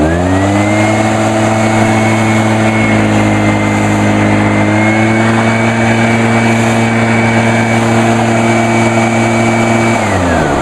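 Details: 2011 Echo PB-500T blower, two-stroke, used all winter, started on one pull; steady, smooth buzz with clean fan whine, no hunting or sputter; healthy.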